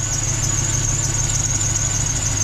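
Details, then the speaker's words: NBS Stepside pickup idling smoothly after a new tune is flashed: a steady, piercing high squeal that does not waver. Owner suspects the belt or possibly a pulley; unconfirmed. "i really need to probably get a new belt i don't know if it's my belt i think it's my belt it could be one of the pulleys"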